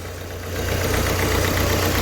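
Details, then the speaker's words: Ford Figo diesel, 94 km, blinking check engine light, code P0203 injector circuit error: uneven, stumbling idle with dropped pulses, a cylinder misfiring. "गाड़ी इस गाड़ी में problem की ये गाड़ी engine इसका मिस कर रहा है एक नंबर इसका सिलेंडर मिस कर रहा है"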